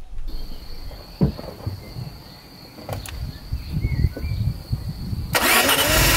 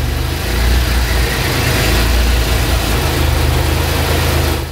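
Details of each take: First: Maserati 4.24v twin-turbo V6, barn find, after cleaning and swapping injectors and checking ignition: engine catches and runs with an uneven, lumpy beat, pulses out of step; one cylinder seems dead and not firing. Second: Maserati 4.24V twin-turbo V6 after turbo repair: even steady low idle, no strange suction noise or hunting, smooth deep rumble; engine idling normally with more torque.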